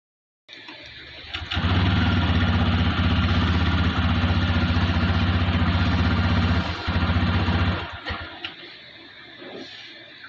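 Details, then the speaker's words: TVS Raider 125cc BS6 motorcycle, about 2500 km, starts and idles with an uneven, stumbling beat and occasional dropped pulses, then dies out; misfire at low rpm, cause not yet found, bike also cuts out suddenly. "तो यहां पर slow RPM पे bike हमारी machine कर रही है जो की आपने देखा है इस तरह की मिसिंग कर रही है"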